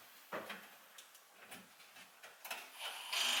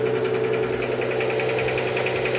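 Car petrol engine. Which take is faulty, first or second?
second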